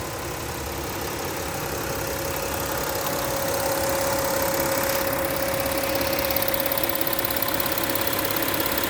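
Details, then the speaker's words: 2015 Porsche Cayenne Diesel at idle: even idle with light, quick ticking about three per second from the injectors and high-pressure fuel pump; normal diesel injector ticking. "You can hear the injectors ticking. It's a different sound for those who aren't used to the uh you know the high pressure fuel pumps and whatnot."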